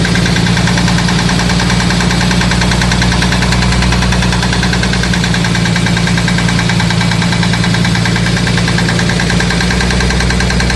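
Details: Jeep XJ 4.0L HO petrol six idling at 1500 rpm: loud, steady rapid knock over the engine note; flexplate bolts already tightened, oil pan gasket lacked metal inserts, piston slap suspected, cause unknown.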